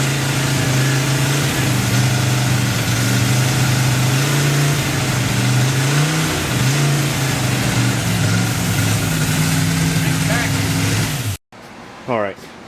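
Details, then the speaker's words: Newly built 283 V8 first start: loud, uneven running with wandering, surging revs from a large vacuum leak at an unplugged carburetor vacuum port; covering the carburetor by hand made it run better. "It had such a big vacuum leak, I was richening the mixture."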